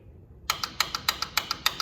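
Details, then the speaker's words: Bandolero race car, both panel switches up and start button pressed: sharp metallic clicks about eight per second with no cranking; starter solenoid, mounted on top of starter, found bad; battery known good. "both of these must be up to crank it and this is the start button nothing's happening i've got clicking"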